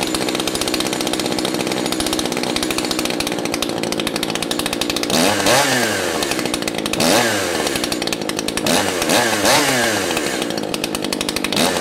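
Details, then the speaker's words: Echo CS 590 two-stroke chainsaw, low-speed carburetor screw turned clockwise: steady high buzz then repeated surging and sagging, hunting as if about to quit; low-speed mixture too lean, later backed out about 1/4 turn. "I turned the screw in clockwise. It got leaner, started to rev a little bit, and then nearly died."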